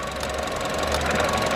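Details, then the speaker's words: Vauxhall Adam running badly, recurring click: rough, uneven beat with irregular stumbles instead of a smooth idle; owner diagnoses a sick coil pack to be removed, tested and replaced; misfire from failed coil pack. "i've got a sick coil back so what you're going to do is we're going to take the coil pack out and take it into the garage and see do some testing but ultimately we're going to change it"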